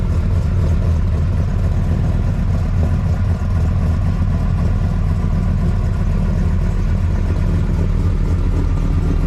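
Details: 765hp Dodge Ram SRT-10 Viper truck V10, returned to its owner after 6 years: deep, even low rumble with a smooth steady beat and no knocks or ticks; sounds healthy.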